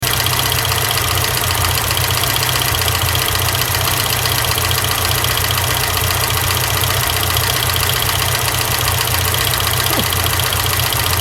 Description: If you get a weird screeching noise when your car is running (intermittantly) check out your fan. If the blades have a bit of movement on the spindle this can happen....